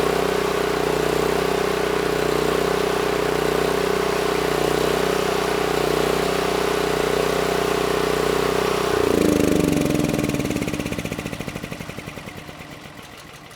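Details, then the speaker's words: NorthStar 8000 PPG generator with a Honda GX390 engine after a carburetor clean: steady, even drone at constant pitch, then smooth shutdown. Normal governed running once the governor throttle adjustment brought output up to about 61 Hz. "I just loosened up the nut moved the throttle up against it and that brought us up to 61 Hertz so that was pretty close"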